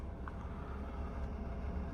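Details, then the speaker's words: OutEquipPro camper AC in sleep mode set to 80°F, heard inside the van: steady low whooshing hum with compressor off on standby; fan keeps running constantly and unit is not that quiet. "Right now it's sleep mode, but it's not that quiet. Like, why is fan is still working when even if it's on sleep mode and standby, like no compressor working?"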